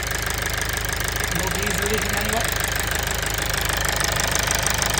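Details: Toyota Avensis T270 2.0 D4D diesel (2011) after a seal repair on injector number 4 and fuel priming: it catches into an even idle clatter and picks up cleanly when revved, with no misfire or stumble. Running healthy.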